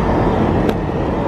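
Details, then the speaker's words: SUV, just after dead battery replaced with new AC Delco battery: blower fan keeps running on high with engine off and display off, can't be switched off; owner suspects BCM failure, no code read. "but the fan is on and it's blowing air out here and the display i couldn't i couldn't make it stop i just could not make it stop"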